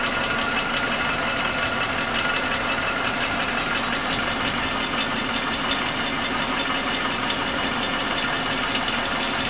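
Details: Suzuki Katana engine idling steadily with a fast, light top-end ticking over the engine note. The owner suspected loose valve clearance, but the noise stayed after the valves were set tighter. Cause not pinned down; possibly normal for this engine.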